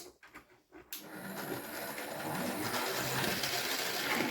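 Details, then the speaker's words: New 2023 Hornby Railroad R3031704 M&GNJR 0-4-0T 'D' tank No.100 run at higher speed: steady fast whirring with a gritty grinding edge from the drive; reviewer suspects the body isn't fitted quite right, not confirmed. "I have to say it's making some funny noises though whirring and grinding noises it's almost like the body is on quite right which might happen"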